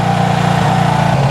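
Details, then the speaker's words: Honda CB360 twin warming up after cam chain, valve, points gap and static timing adjustments, idle turned up: steady, even idle with smooth low pulse, no misses or knocks; strobe later shows number one side advanced. "as you can hear she's running she's running pretty good actually sounds really nice"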